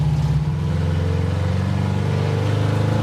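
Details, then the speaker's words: '56 Chevy 210, a former NHRA car, being driven: a deep, lumpy exhaust note with an uneven beat at low revs, clearly running rough; it may need to warm up or may have bad gas in the carburetor (unconfirmed). "why do it run so terrible I don't know that's why I thought that was third gear maybe it needs to warm"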